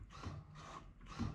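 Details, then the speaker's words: 1999 Bobcat 864 skid steer whose bucket would not tilt down, joystick test: short whirring bursts as the joystick is worked in one direction, actuator heard operating normally, so this direction works. "okay we hear it that direction so we're listening for it that's working"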